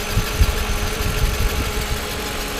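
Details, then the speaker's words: Mercedes SL500 R129 idling after throttle body repair, faint steady whirring under firing pulses; belt sprayed with silicone, noise remained; idler and air pump fine, water pump bearing noisy, may need replacing if louder, quietens as it warms. "the air pump seems to be fine but water pump here yeah water puff makes just like noise"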